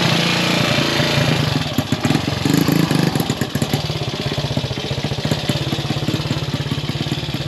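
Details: Gilera 124 5V classic Italian lightweight motorcycle on its first proper road run after rebuild: uneven, lumpy beat with irregular pops and spits; rider blames carburation, needing jetting and spark plug and points checks.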